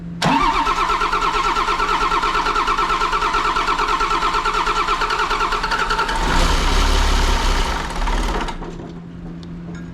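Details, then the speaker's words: John Deere 6068T PowerTech diesel engine, stored four or five years, return line just connected: steady starter churn about three compressions a second with a brief catch that dies; air in fuel system, then runs clean once purged. "almost oh yeah she runs good just had a little bit of air in it cleaned right up"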